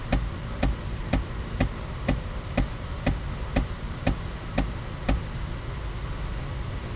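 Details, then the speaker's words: 2011 GMC Acadia during HVAC actuator recalibration after replacing the driver's temperature door actuator: sharp, evenly spaced clicks about twice a second from the other side, probably the fresh-air/recirculation door actuator sticking and skipping, which may stop calibration completing. "and is that nice you can hear One clicking on the other side that's probably the fresh air door"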